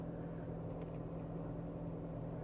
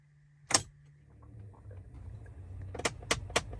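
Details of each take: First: 2014 Dodge Avenger after replacing the blend door actuator, engine running while switching heat to cold: steady low hum, no ticking or clicking from the dash. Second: 2014 Dodge Avenger blend door actuator, located behind the glove compartment; rapid, even clicking about four a second over low fan hum, heard at start-up or when switching cold to hot. The actuator is faulty and needs replacing.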